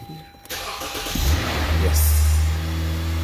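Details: 2013 Lexus GS 350 with a no-start caused by a blown alternator fuse link, being test-started on a temporary wired connection. Starter whirs briefly, then the engine catches and settles into a steady, even idle; starts normally.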